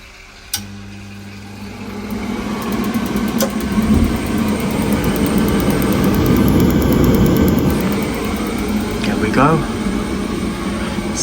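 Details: Boiler after replacing an obsolete leaking part and refilling: a click, diverter valve motors over, burner lights to a steady even roar; normal start-up, no leaks.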